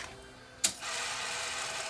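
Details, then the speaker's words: Sony DTC700 DAT recorder, top removed: sharp click, then a steady whirring transport motor that labours; a tape guide sticks about halfway and doesn't return, unit retries loading then goes into shutdown without unlacing the tape. Tape loading mechanism sticking. "the guide sticking it should come all the way back to here this other guide's gone up it's trying to load it again and it's going to go into shutdown"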